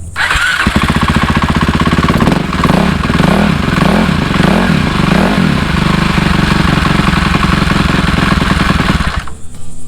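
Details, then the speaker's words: Cannondale 440 single-cylinder dirt bike (E440 Super Moto Replica or X440 Motocross), recently finished: catches right away without throttle into a quick, even beat with no misfires; idling slightly fast as intended, since a low idle makes it hard to start. "now if you notice that's idling a little fast and that's how it's supposed to be if you set the idle down low it will be hard to start"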